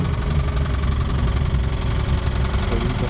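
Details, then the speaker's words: Infiniti G35 with manual transmission, idling: steady rapid knock about ten a second over a heavy low rumble; owner says rod knock, motor not confirmed blown. "it has a blown or not a blown motor but it has like a a rod knocking noise or sound or problem"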